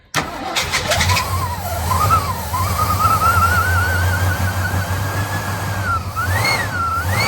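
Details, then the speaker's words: 1958 Studebaker Golden Hawk, cranking with throttle held: steady starter whir and rising crank tone with no firing. The carb bowl won't prime despite fuel being present, caused by a stuck carburetor float needle and seat. "No fuel getting to the carb because that should have primed by now."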